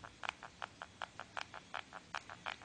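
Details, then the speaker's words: Xiaomi Redmi 1s back cover pressed over the area that normally heats up: quick sharp creaks and squeaks, five or six a second, loudest there, none lower down; resetting the back cover didn't help. Creaking back panel. "so when I press uh somewhere in this place you hear this noise and the farther I go to this there is normally no noise"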